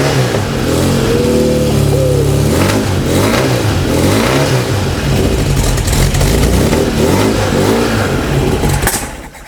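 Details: Freshly built Volkswagen/Porsche type four flat-four first fire on a test stand, distributor drive gear set loosely pending fuel injection, aluminum cylinder fins for turbocharging; barks and revs up and down cleanly, catching and settling without stumbling: normal running.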